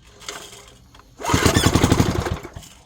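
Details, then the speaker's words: 1970s Briggs & Stratton 4hp engine, compression suspected still too low: quiet pulls then about a second of rapid popping around four beats a second before dying; first brief firing, starter and clutch squealing afterward. "I I think the compression is still too low to fire"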